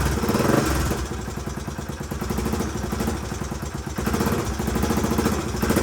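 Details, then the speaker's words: 1981 Honda XL500S single, first start after oil change, air filter install and makeshift fuel tank, started stone cold: even, steady thump settling into a relaxed idle with no misses or knocks; runs and idles healthy, possible leak heard, carburetor not leaking. "all right well she runs good i haven't had a chance to take her out on the road yet obviously but i at least know it idles and starts up pretty e"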